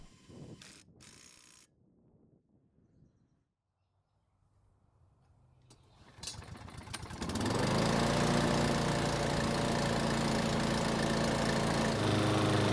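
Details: Troy-Bilt XP walk-behind mower that would not start, after repair and a sharpened, balanced blade: a few pulls, then it catches and settles into a steady, even single-cylinder drone, about four beats a second; runs clean and healthy.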